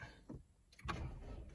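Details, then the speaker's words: Car battery read 10.68 V at rest, 12.6 V right after shutdown and 14.54 V while running on the alternator: faint, labored, dragging crank before the engine catches; the starter struggles on the weak battery, which needs replacing. "You could hear that lagging, whoa, whoa, whoa, and then it starts. That was my first indication that, hey, if I don't take care of this now, it's gonna leave me somewhere."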